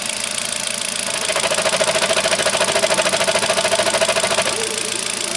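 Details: Kia at 30,000 on the clock, moving off in first gear: steady engine note with a regular knocking clunk around three per second; clunk source unclear.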